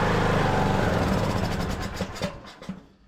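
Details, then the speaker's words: Craftsman LT2000 riding mower single-cylinder, sat unused a couple of years, oil level fine: runs rough on choke a few seconds, then sputters, coughs and dies; won't run on its own, Nikki carburetor to be removed next. "Will not run on its own. Well, engine sounds good on here."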